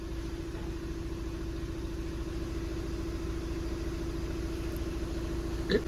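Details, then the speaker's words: VW Passat with six-speed DSG, engine vibrating heavily, before flywheel replacement: rough idle with low, uneven "ghad ghad" knocking about three a second under a steady hum; dual-mass flywheel knock, to be replaced with a new LuK unit. "इसमें एक आवाज आ रही है घड़ घड़ घड़ घड़ की आवाज आ रही है वो इसके फ्राई व्हील की आवाज है"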